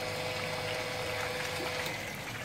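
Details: Water pump priming after fitting foot valve, taking about 13-14 seconds: steady motor hum with gurgling, sputtering water and air as it draws water up empty suction pipe; priming with air in suction line.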